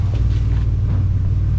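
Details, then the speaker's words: 2004 Ford Explorer revived after long sitting, good oil pressure, temperature cool, no power steering fluid: deep, loud, pulsing unmuffled rumble at idle because no exhaust system is fitted. "I forgot this thing's got no exhaust on it so it's not as loud as I think"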